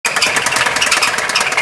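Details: 2004 Subaru Forester XT: a rapid, even ticking over the idle that stays in step with the engine; a timing belt tensioner test did not reveal the cause, which remains unknown.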